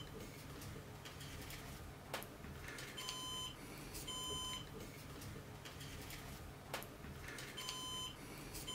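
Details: Synology NAS during a hard-drive swap, replacing a 3 TB drive with an 8 TB WD Red: short high electronic beeps repeating in groups every couple of seconds; warning alert, cause not confirmed.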